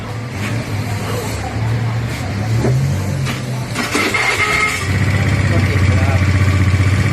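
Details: Honda Scoopy i scooter with hard starting caused by a non-working fuel pump, started after the pump repair and reassembly: fires up and settles into a steady, even idle with a smooth low putter and no misses; normal idle.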